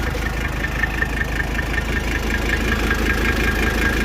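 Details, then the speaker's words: Mercedes OM617 diesel running waste motor oil, injectors 300,000 miles overdue: uneven, lumpy idle clatter with irregular knock about 2.5 beats per second and blue-white smoke, needing starting spray; worn injectors, to be replaced. "So I'm getting tired of having to spray the Bill Cosby in a can and smoking out the whole interstate with nasty blue-white smoke from these injectors being 300,000 miles overdue to be changed."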